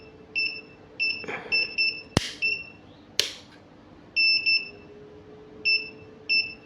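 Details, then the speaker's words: Godox SK-series (SK300/SK400II) studio flash after power is lowered: the red light stops blinking but E3 remains, with high short beeps in pairs and singles over a faint hum and clicks; E3 causes vary, fault unconfirmed. "hilang blinkingnya, cuman masih nongol E3."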